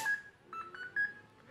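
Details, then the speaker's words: Electronic speed controller for an RC car or boat (rated for 7.4 V and 11.1 V batteries), receiver lead moved off channel 4 to the correct channel: short run of clear rising beeps through the motor, the normal startup melody in both directions. "okay now this is the melody that i refer to so now in both directions"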